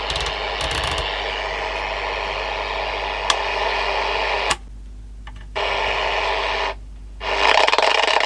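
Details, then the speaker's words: Old CB radio with 5 m power cable: harsh fuzzy crackle from the speaker cutting in and out; audio clearly distorted but louder; owner suspects the microphone setup may be part of the problem. "waa certainly seems to be distorted but at least we're getting more sound out of it"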